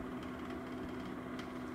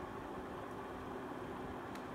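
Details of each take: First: 3-month-old Venta LW35 airwasher: steady motor hum with light uneven clicking rattle that seems to come from where the fan meets the rotating discs; fixed by turning the gear around and properly seating the coupling. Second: Older Venta air washer, kept in the bedroom because it is much quieter than the new one. Steady, soft fan whoosh with a low even hum and no rhythmic clicking. Normal quiet running.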